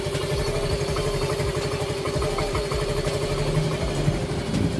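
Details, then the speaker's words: Yamaha Mio i125, oil changed only every 4 months, after tune-up: valve clearance set (intake 0.6 mm), fresh oil; single-cylinder putters evenly, quiet and smooth, no tapping, no smoke. Normal idle after repair. "At ito na, umaandar na siya. Tahimik na ulit at wala siyang usok."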